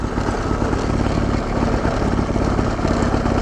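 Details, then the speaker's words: 110cc motorized bicycle, engine fully warm, clutch just released, idling with no throttle on a flat road. A low, labored single-cylinder chug strains but keeps pulling the bike along: engine lugging at idle under load. "okay let's see if it keeps me moving like you hear the engine struggling right now it's idling I'm not on the throttle"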